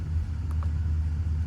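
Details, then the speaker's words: 2014 5.7 Hemi V8 (16 spark plugs) with 140,000 miles, misfire counts on cylinders 2 and 6: rough loping idle with a recurring dropout in the rumble; cylinder 6 misfire at idle stops with a little throttle, overdue tune-up suspected. "on six so if I give a little gas it stops"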